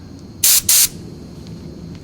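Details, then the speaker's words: 1970 Mercedes-Benz 280 SE (W108) rear brake job: compressed air blown through with no hose fitted gives two short, sharp, unrestricted hisses, a reference before testing the old collapsed flexible brake hose against a new one. "we're going to try to run some compressed air through there and i'll show you what i mean so here's what the air sounds like with nothing on it"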